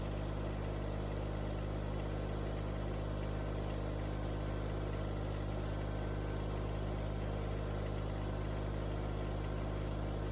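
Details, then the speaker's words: Kubota BX25 small diesel idling after replacing a broken belt for the coolant pump, fan, alternator and hydraulics, engine shroud still off, coolant cycling: steady, even low rumble, no knocks, misses or squeals; hydraulics and fan work, running normally. "Okay, the hydraulics seemed to work. Everything seemed to be working."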